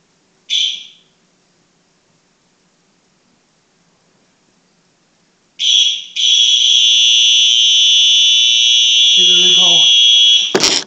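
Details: A short high blast, then a loud, steady, piercing horn tone held for several seconds from a Simplex 4903-9236 fire alarm horn during a distance test; the horn sounds strong and clear, normal operation.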